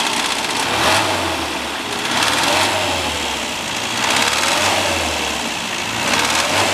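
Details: Classic Mini towed in with abnormal engine noise: engine running with a loose, uneven rise and fall about every two seconds over a buzzy rattle; cause not yet found.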